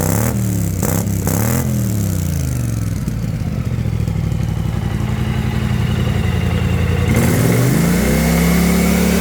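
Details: BMW C650 scooter (Kymco-built twin) with GPR exhaust at about 37,000 km, after a Malossi Multivar install to fix CVT rattle: steady idle, one clean rev, no belt-drive rattle; main shaft still has slight end play.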